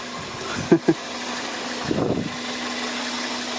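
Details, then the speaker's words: 1999 Toyota Corolla idling after replacing the power steering pump with a junkyard unit and fresh fluid: even, smooth low drone, no grinding, a couple of brief knocks. Normal idle after repair. "Way better than before. No more grinding sounds. Sounds better than before."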